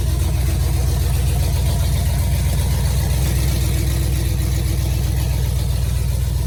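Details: Chevy Tahoe V8 with newly installed Speed Engineering long tube headers; deep loud idle with fast even puffing tick on the rumble, exhaust leaking past the header due to a broken bolt; exhaust manifold leak.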